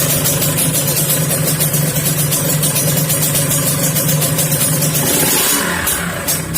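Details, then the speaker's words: Kawasaki Ninja two-stroke, used spare engine idling with a steady low humming drone under the exhaust note, from a worn primary drive gear that needs replacing with a standard 22-tooth primary gear. "ini kayaknya gigi primernya udah jelek pasti dong dan ternyata emang ketika dinyalakan Emang bunyinya dengung"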